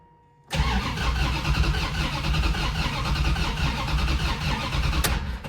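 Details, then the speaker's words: Turbo Dodge Diplomat V8 cranking during a relative compression test with a scope and starter amp clamp: a lopsided, galloping rhythm with some beats lighter, only 6 of 8 compression pulses. Uneven cranking from low compression. "So what I'm going to do is compare the number one injector firing signal with the pulses created from the compression. This is what it sounds like. It's got a big old gallop in it."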